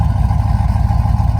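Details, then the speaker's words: Rebuilt Tahoe V8 with BTR V2 stage 2 cam, LS7 lifters, long tube headers, stock converter; deep idle with steady rhythmic lope in exhaust pulses, fairly choppy for a stock-converter-compatible cam; normal choppy cam idle, drives well. "cam that's compatible with the stock converter, it's fairly choppy. It's pretty impressive, and it drives really well too."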